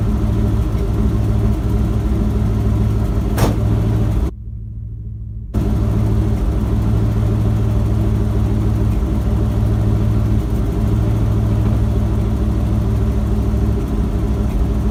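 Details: Ford F-250 with a 7.5L 460 big-block V8 after replacing the starter bypass solenoid for a no-crank, no-start. Smooth, even low idle with a steady beat and no knocks or surging, apart from one brief drop-out; idles healthy.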